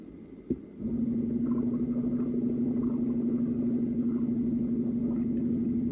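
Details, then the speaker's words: LG Tiiun plant grower supply pump feeding nutrient solution to the seed kit, recording exaggerated louder than real: a click, then a steady low hum and soft whir for 1–2 minutes, periodically; normal operation. "치아 키트에 양액 을 공급하기 위해서 급수펌프 가 작동하며 이때 2 도도 하는 소음이 주기적으로 1분에서 2분간 발생할 수 있습니다"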